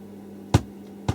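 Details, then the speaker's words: 1980s Marantz PM-45 amplifier after phono-stage motorboating repair with conductive glue: two sharp dull clicks about half a second apart over faint mains hum, the speaker protection relay tripping, showing DC offset on the amplifier. "that click that shows there's signs of DC offset on the amplifier"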